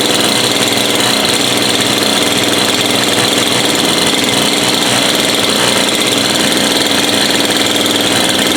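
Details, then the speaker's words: Two-stroke bush cutter after repair (dirty spark plug cleaned, clogged fuel filter cleared): steady high-pitched buzz with no misses, surging or sputter; running clean and healthy. "and that's it fixed running everyone service running and it's as easy as that"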